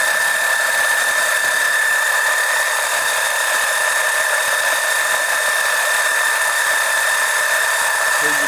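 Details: Electric oil transfer pump extracting oil during an oil change on an OMC 140 boat engine, near four quarts drawn: steady high whine at one even pitch, no surging or rattle; runs normally.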